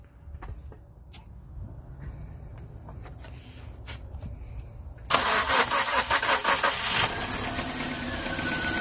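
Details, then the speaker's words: 2005 Dodge Neon 2.0L started very cold, thermostat not yet open: runs rough and uneven, misfiring, from a bad head gasket; combustion-gas leak tester fitted on coolant system. "You can hear it misfiring."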